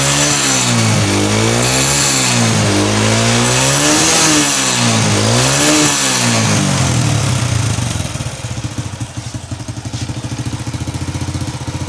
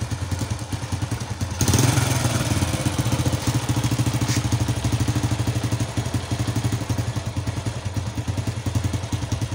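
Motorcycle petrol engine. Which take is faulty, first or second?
second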